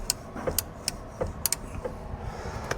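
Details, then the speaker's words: 1969 VW Beetle just revived, after first drive: erratic turn signal flasher clicking, two or three a second, over low idle; blinkers work only one way, owner says it needs a blinker switch. "I don't know why it's doing it, but uh, that's the blinker thingy, but the blinkers do work off the, uh, off the thing."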